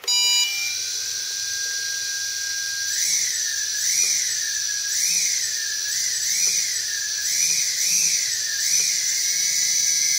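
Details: MJX B6 RC with upgraded alloy B3 motors and a newly installed ESC board replacing one burned out by shorted motor wires. A high, steady whine rises and dips with each throttle blip, with no grinding or stutter. Motors spin up normally.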